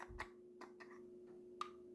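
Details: Jaguar XK8/XKR cupholder lid after lubrication: a single light plastic tick as the lid bottoms out in its cavity at full open, lid end-of-travel tick; felt pad planned as fix.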